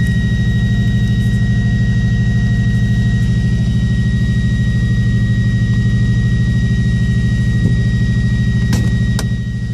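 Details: Subaru Impreza misfiring at idle: steady idle broken by a regular stumble about three times a second, pointing to one cylinder misfiring; owner suspects ignition coils or MAF sensor, unconfirmed.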